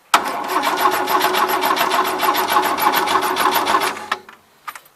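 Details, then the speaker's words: 1977 Gravely GMT 900 tractor with Continental engine, cranking with a plug wire off checking spark: steady starter cranking about three and a half beats a second for four seconds, no firing; owner unsure coil gets power, suspects condenser. "I don't know if I've power to the coil or not for all I know this condenser could be bad"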